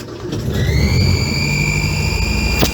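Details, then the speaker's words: 1962 Land Rover Series 2a 109 during rebuild, fan belt off and no dynamo fitted: a high whistle rises with revs over the engine note, an exhaust manifold leak traced to exhaust and inlet manifold stud nuts not tightened to correct torque. "further to that noise, I've sorted it out, and what you can see down along the exhaust manifold and the inlet manifold are some stud nuts"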